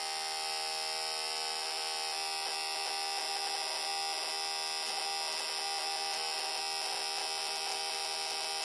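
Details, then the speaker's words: GM "Yukon" (D-585) coil-near-plug ignition coil bench-tested on 12 V at 5 ms dwell, spark plug gapped about 0.130 in, firing rate cranked up to simulate high RPM; rapid, steady high-pitched buzzing crackle with no dropouts; coil sparks cleanly at high rate. "Okay, last test we're going to do, is just for fun, is we're going to crank up the RPM to see how this coil reacts to that."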